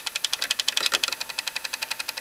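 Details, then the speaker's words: Early-1996 GE-rebrand boombox cassette mechanism: quick light clicking about ten per second; tape drive slipping, owner suspects spring not pulling hard enough into gear and loose belt. "so what that noise is coming from I think I see spring is not pulling hard enough yeah"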